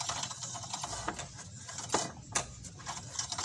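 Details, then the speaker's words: Honda Vario 160 scooter: dry, scratchy "srek srek" scraping repeats as the front wheel turns; front disc brake pads worn out, fixed by replacing them. "kali ini kita kedatangan pasien motor Vario 150 150 160 160 dengan keluhan datang ada suara srek srek srek srek katanya ada suara srek srek srek"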